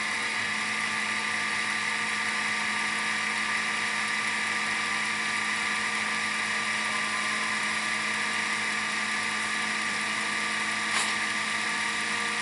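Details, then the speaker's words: Sony SLV-N700 VHS VCR fast-rewinding a tape from near the end, covering about three-quarters in a few seconds: high, steady, very loud whir at one pitch with no grinding or squeal; normal fast rewind. "practically in a few seconds, it's already covered about three-quarters of the tape. So, as I said, it's a rebin capacity that it has. very, very loud, very fast"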